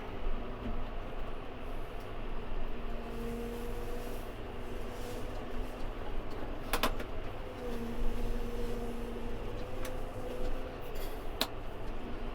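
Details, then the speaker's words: Massey Ferguson MF5711 Dyna 4 tractor idling while baling: faint squeaky, wavering hydraulic tone comes and goes twice from the brake valve, which has always made squeaky, farty noises since the owner has had it. "That noise is the brakes on this tractor. It's always done that since I've had it. It's like a hydraulic noise."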